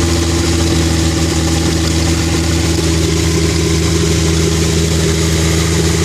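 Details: Engine just thawed after freezing around -13F, fresh stronger mixture, gaping rotted exhaust hole, recorded on phone: loud raspy idle, deep drone with slightly uneven pulse; owner asks if idle is right, rough idle suspected.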